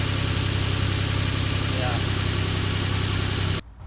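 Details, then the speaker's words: Nissan Frontier 4.0 V6 Crew Cab after new spark plug install (intake plenum removed and refitted, battery reconnected): starts and settles into a smooth, even idle with a steady low rumble, no misses or stumbles before shutdown; normal healthy idle. "the sweet sound of success another great project by DIY Willie"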